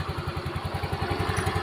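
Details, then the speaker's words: Yamaha Mio M3 scooter after replacing the CVT fan, previously rattling at idle: low, even idle beat with a steady pulse and no rattle or clatter; quiet, smooth running after repair. "Suaranya Hening ya halus lagi Oke jadi seperti itu teman-teman ya"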